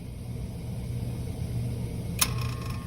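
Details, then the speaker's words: 30-year-old water-cooled walk-in cooler, warm box, idle 2-3 weeks: low steady hum from a compressor failing to start, drawing 31 amps, then a sharp click as it trips on overload; hard start kit later fitted. "we're drawing 31 amps, and then we're going off on overload."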